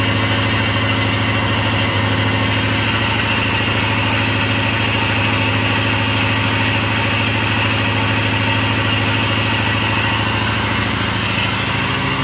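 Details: LT4 hot-cammed SBC Vortec 350 V8 with Ramjet intake and 0411 PCM, still being tuned, with an IACV problem and start-up cranking trouble with backfire: idle pulsing unevenly about three beats a second, hunting; unstable idle, cause suspected, not confirmed.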